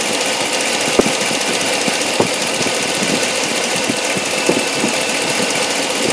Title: Hemi 2013 strange noise